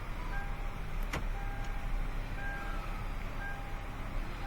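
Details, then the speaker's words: 2013 Hyundai Elantra after replacing the electric power steering bushing that caused clunking: steering turns with only a soft, smooth motor whir and no clunks; normal. "Make sure all your lights go off. Don't want no airbag lights on. And listen, no more clunky."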